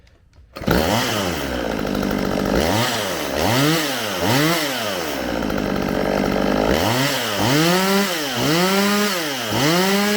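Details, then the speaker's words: Stihl MS192TC chainsaw after repair of a bog/no-rev fault (spark arrestor cleaning advised), bar and chain on: blipped repeatedly, revs cleanly and returns to a steady idle without bogging, normal running. "sounds good to me all right that's gonna do it for today's video this little chainsaw is back in action"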